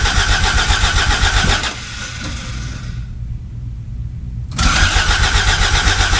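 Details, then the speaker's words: 1986 Toyota MR2 AW11 after replacing fuel pump and reinstalling tank: steady cranking, brief stumble into firing with a little backfire and smoke, then cranks again; fuel delivery suspected still not right. "uh that little backfire that it did earlier oh that was something"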